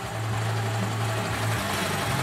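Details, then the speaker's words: 2004 EZ-GO gasoline golf cart idling steadily with a low, even chug and no misses or knocks after the no-start was traced to a switch; normal idle, all original parts. "so it'll just idle when you're not in here"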